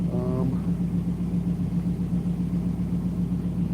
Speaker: Tell you what though, oh, that sound, I love it. Even though it doesn't come through the microphone as good as it comes through when you are there.